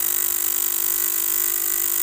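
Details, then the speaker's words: 3000W voltage stabilizer before repair: works but harsh rapid relay chatter with steady high whine, relay not pulling in cleanly on low coil voltage; electrolytic capacitor to be replaced (470 µF 50 V tried). "Cuma dia tidak bagus suaranya, ini mengganggu telinga gitu ya. Coba kita ganti dulu elkonya gitu rekan-rekan, kita ganti dulu nih ya rekan-rekan ya."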